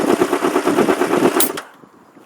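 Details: 1994 Honda CBR600 F2 after jump start from switched-off truck: quick even popping beat about ten pulses a second, holding steady then cutting off; normal idle.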